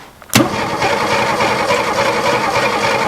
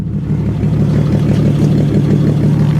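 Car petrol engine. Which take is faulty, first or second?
first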